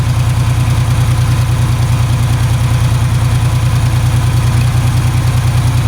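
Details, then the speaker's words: Ford 3000 three-cylinder tractor after about 5 minutes running: low, uneven idle thump about a hundred beats a minute as the third cylinder tries to cut in; intermittent misfire, cause unknown. "Okay, so here's what it does. After about 5 minutes, you can hear it start trying to fire off on the third one."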